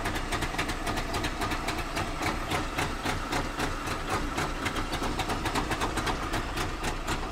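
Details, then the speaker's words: Trabant two-stroke on a 4000-mile US road trip: loud, fast metallic rattle, nearly four clatters a second, from the front; owner suspects the exhaust touching something, not confirmed. "I'm gonna try to find what makes this sound, what a real bad rattling sound in the front."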